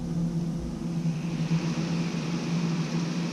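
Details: Newly replaced solar kiln fan, freshly wired in: steady low motor hum with even tone, no rattle or rubbing; runs smoothly and sounds healthy.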